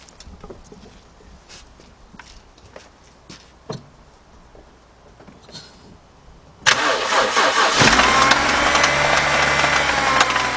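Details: 2011 BMW 328i 3.0 with many stored codes and an oil leak at the oil filter housing gasket: engine catches and idles with a busy rattling tick from inside, where the timing chain is; cause suspected, not confirmed.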